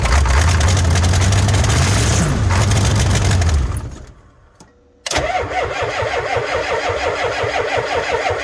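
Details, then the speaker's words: Ford F350 7.3 IDI diesel, cold, after glow plugs cycled and batteries charged about 30 minutes: cranks, catches and runs rough a few seconds, then dies and cranks slowly without catching; owner suspects about half the glow plugs are bad. "Well, we can't say we didn't try. She's obviously got some bad glow plugs."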